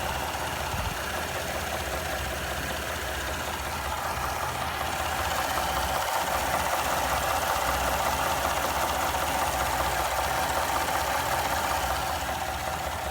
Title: 2017 3.5 ecoboost knocking sound